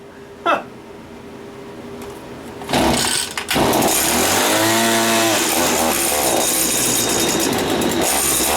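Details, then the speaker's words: Stihl FS80 trimmer two-stroke, just reassembled after engine inspection, primed, choke on, throttle locked: a pull, fires right up and buzzes steadily with brief throttle blip; running healthy, cold. "I think that all working good see what happens fired right up"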